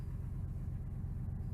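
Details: 2000 Ford F150 5.4L V8 after replacing the #5 (right front) coil pack and clearing fault codes: low, steady rumble with an even beat and no misfire stumble; idling smoothly and healthy.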